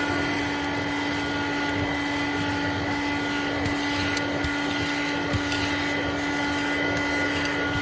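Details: Hoover Dial-A-Matic Model 1136 clean-air upright vacuum (840 W, 7 A motor), suction on high: steady high whine with dry, rough hum underneath; owner says motor sounds like it needs re-greasing, suspected bearing noise, not confirmed.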